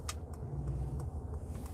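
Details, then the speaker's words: Mercedes G580 electric, 116 kWh net battery, charged to 100%, driving: deep steady low hum of the external artificial sound generator with faint ticks, heard from inside and louder with windows open; working as intended, with real bass. "You guys hear that humming sound? It's external supposedly."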